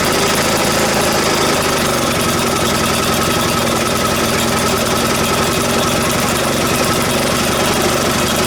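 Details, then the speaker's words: Vintage Atco reel mower's small single-cylinder petrol engine, just started after checking fuel flow, running fast and steady with a sharp, raspy puffing chuff on every firing from a small exhaust leak. "It's got a bit of an exhaust leak."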